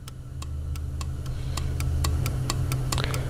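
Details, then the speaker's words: BMW Z4 E85/E89 N52 purge control valve, removed and bench-tested on 12 V for codes P0443/P0444: sharp clicks three or four per second over a low hum, the solenoid opening and closing normally. "Okay, clicking means that it opens and closes, but does it actually open and closes?"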